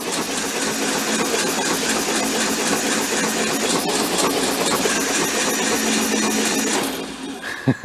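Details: VW Beetle convertible parked since 1995, first crank with oil in it, before compression testing: an even, light starter whir with no compression strokes; the engine rotates freely.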